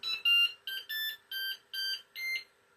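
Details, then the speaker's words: Flashforge Adventurer 5M 3D printer restarted after a failed firmware update; six short bright rising electronic tones over about 2.5 seconds, the normal power-on jingle. "Now we sit here and we wait for it to power back on. Wait to hear the jingle again."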